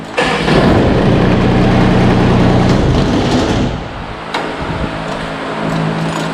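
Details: Kubota ZD28 diesel zero-turn mower with 72in deck, no-start traced to a faulty PTO micro switch, now bypassed, PTO off: diesel cranks, catches promptly and settles into a steady even run; starts normally.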